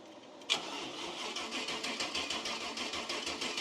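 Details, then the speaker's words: Cub Cadet garden tractor with 305 Chevy small-block V8: starter spins with steady fairly quick chug, never catches; no fuel reaching engine; crank no start, fuel starvation. "Yeah, we got no fuel. We got fuel now. I'll see if you can figure out what's wrong with this thing. It ain't got no gas in it. Well, no fuel."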